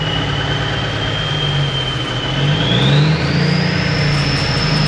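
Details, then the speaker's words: 1991 Freightliner with Cummins NTC-365 diesel, low-flow cooling, smoky; revving shows bad throttle lag: revs climb late with a rising whistle, hang high before dropping; rough response, cause not yet found (STC suspected). "it's got this really bad throttle lag you hit the throttle there's a big delay when it ramps up come off the throttle and it hangs there a while and then it comes down"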